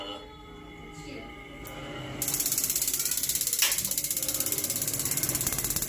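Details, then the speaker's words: Mains-powered gas water heater that would not ignite, after fitting a new air-pressure (draft) switch: fan hum, then fast even ticking about three per second as the igniter sparks once draft is detected; normal igniter sparking. "现在也有这个点火声这个说明正常的检测到了这个抽风的这个系统检测说明是正常它才启动下一步这个点火。"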